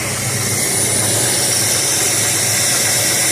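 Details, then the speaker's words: 1969 Dodge Dart, sat 6 months with 10% ethanol gas, idle and mixture readjusted, tired transmission; steady even idle, smooth low pulse, no misses or knocks: normal idle. "Alright. Well, good. It's running. Now we just need to take care of the tire problem and get it relocated."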